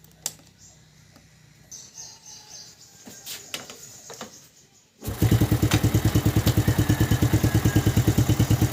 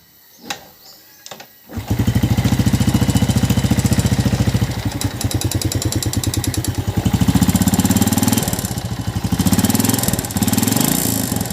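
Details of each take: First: Yamaha New Jupiter Z (Vega ZR) motorcycle after repair for a harsh-running engine (suspected worn piston, slack cam chain replaced); fires and settles into an even, steady idle of about three beats a second. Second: Yamaha New Jupiter Z (Vega ZR) motorcycle, before repair; starts after a couple of tries into a very harsh, rattly idle with fast clatter; teardown judged worn piston and found a slack cam chain, which was replaced.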